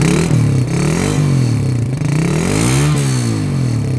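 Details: 2005 Suzuki Satria F150, 20 years from new, just after a cold start following sitting: loud single-cylinder buzz as revs swing up and down several times, engine holding and responding cleanly; it runs normally.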